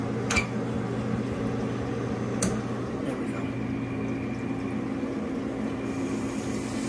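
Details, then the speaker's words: Ice-O-Matic ice machine after cleaning and repair of a failed purge solenoid: steady low hum with a soft trickle as the float valve refills water, no rattles or knocks; normal water refill before the next harvest dump. "yep i hear the float valve adding water when i did that so when it goes in a harvest next time it should dump the water again"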